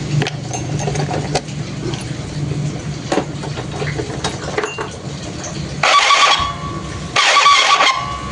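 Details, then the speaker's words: Yamaha Mio carburetor scooter, also refusing to idle, starter cranked before lubricating the starter motor: two short cranking bursts with a shrill high squeal over the starter whir, from a dry starter motor. "Oke, Gengs. Biar enggak lupa nih suara sebelumnya seperti apa. Nanti sama sesudah kita kasih pelumas seperti apa, kita coba nyalakan dulu."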